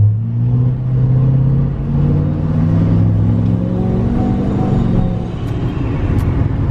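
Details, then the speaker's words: 2020 Duramax L5P diesel compound-turbo truck, pull after turbo vane relearn, still going into reduced engine power: deep wavering rumble, boost sound surging unevenly, vane position fluctuating (125, 40, 125); erratic turbo vanes under acceleration, cause unconfirmed. "and do the exact same thing just like i thought i could tell from driving it the veins sound a little bit wonky so i guess it's back to the drawing board the vein position is just all over the place"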